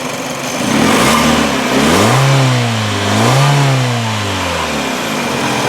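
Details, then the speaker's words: 2005 Kia Spectra EX, 2.0L four-cylinder, 146,913 miles, airbag light on, revved in place. Revs up and back down cleanly, smooth and even with no knocks or rattles; normal running. "all right and as you can hear you know it runs sounds uh like you know runs pretty good as you can hear from listening to it um so like I said again that's a 2.0 liter four-cylinder motor there"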